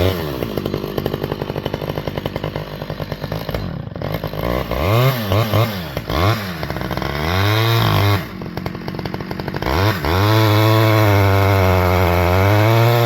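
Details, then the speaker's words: Repaired Stihl 011AV chainsaw, cold, making a test cut: loud two-stroke buzz whose pitch sags and wavers as the chain bites, struggling; owner plans to add fuel on high-speed carb screw because it's so cold. "I was making that cut right there, and you can kind of hear it struggling a little bit, so I'm gonna give it a little bit more fuel on the high side since it's so cold."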